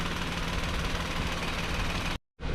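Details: 2012 Nissan Versa (Latio) with the N17 3-cylinder, which has a hiss at shutoff and delayed acceleration; fuel trims about 101% and EGR at 50% step: steady, slightly lumpy idle. The engine has a rough idle from a vacuum leak at the booster check valve.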